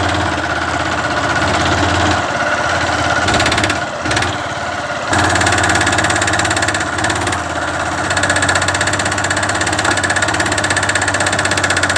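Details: Honda Fan 150 single-cylinder motorcycle ridden under load on a climb; loose, uneven knock heard on gear changes and acceleration that resembles rod or piston slap but comes from the clutch side: worn balancer gear spring.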